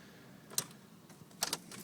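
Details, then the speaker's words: 2006 Mini Cooper S, key turned with clutch down, in neutral, dash lights on: single sharp click then a second pair of clicks, no cranking; starter not engaging, cause unknown. "just nothing but a click"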